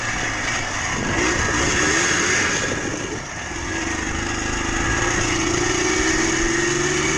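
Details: Yamaha Blaster 200 two-stroke revving with a thin metallic, bell-like ring rising and falling with revs over the exhaust and increasing smoke; failing bottom-end crank bearings and seals.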